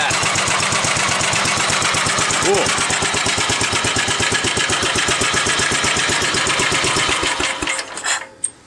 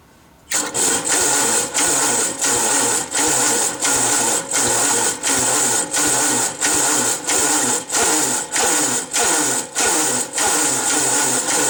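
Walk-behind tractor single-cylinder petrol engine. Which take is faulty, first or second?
second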